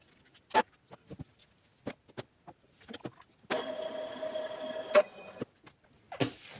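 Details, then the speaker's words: Epson EcoTank printer (e.g. ET-2810/L3210) with a clogged printhead printing blank pages; cleaning cycle started by holding stop button 5 seconds: scattered clicks and clacks, a steady two-second motor whir, more clicking while lights blink; normal head-cleaning cycle. "You'll hear the printer start making noise, and the lights will begin blinking. That means the cleaning process is running, so just wait until the lights stop blinking."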